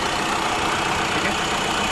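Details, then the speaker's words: Tata Safari diesel (new version) with complaint of loud noise from the alternator area after start; steady even idle with no whine, chirp or rattle: normal idle, noise traced to the alternator. "देख friend हमने गाड़ी चालू किया है देखिए हमारा गाड़ी एकदम साइलेंट है कोई आवाज नहीं है"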